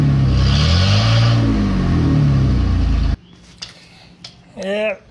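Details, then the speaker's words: 2017 Ford F-150 5.0 V8 with only one catalytic converter installed and no muffler: deep, loud rumbling exhaust that swells with a revving blip, then cuts off; louder than hoped, so a second cat is planned. "that's definitely a little louder than I was hoping for so I probably will put that other cat on there"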